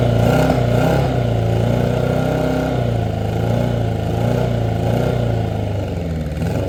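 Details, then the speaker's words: 1983 Honda Nighthawk 650 that sat since 1987, first start after long cranking, new plugs and a fuel fix: the engine catches, revs unevenly, then settles into a rumbling idle; running properly. "So, after cranking and cranking yesterday, we finally had a successful first start."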